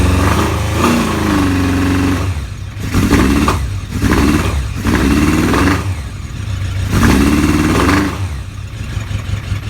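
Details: Kawasaki ZRX motorcycle engine misfiring: revs in uneven bursts, beat stumbling and dropping out instead of running smooth.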